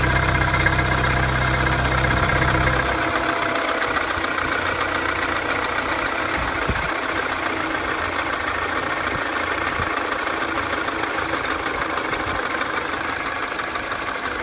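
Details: 2007 Mini Cooper non-S, N12 engine, cold start idle: steady light ticking about three per second on the engine's left side. The ticking drops as the revs fall when warming, is still present fully warm, and nearly fades above 2000 rpm. A new tensioner didn't fix it.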